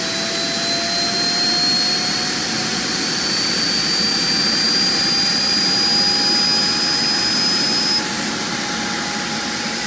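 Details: JetCat RC jet turbine before repair, forced started by air assist after auto-start failure: high steady whine with tones slowly creeping up in pitch, high idle exhaust temperature; turbine blade rub from deformed, cracked NGV, worn bearings, failed starter clutch.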